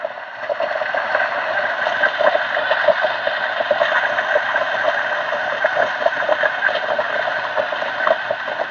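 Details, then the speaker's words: DF64V coffee grinder at 700 RPM, grind size 20, about 14 g dose: a steady crunchy crackle of beans through the burrs over a quiet small-motor whir, with no stall (it sometimes stalls slightly at start). Grinding is normal. "So okay, let's grind some coffee. Right now my RPM is actually 700."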